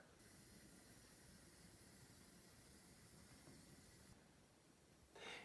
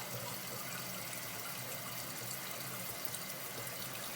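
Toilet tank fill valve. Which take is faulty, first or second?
first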